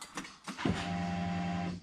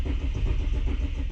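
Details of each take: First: Ford BA Falcon Barra engine after installing new Walbro fuel pump in old assembly: short electric pump hum on key-on, pause, then engine catches quickly and settles into even, steady idle; pump working normally. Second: Barra-powered Ford BA Falcon sedan cranked with fuel pump relay removed to bleed fuel pressure before replacing the fuel pump with a Walbro: even starter cranking, engine never catches, crank no start.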